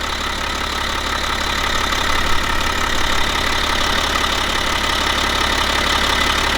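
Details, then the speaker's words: 2011 BMW X5 35d M57N2 diesel at 130k miles after timing chain replacement, idling warm during gearbox oil leveling: a steady, even diesel clatter with no uneven beat or extra knocking; the engine sounds healthy. "But for now everything seems fine and the engine sounds healthy, as I like to say."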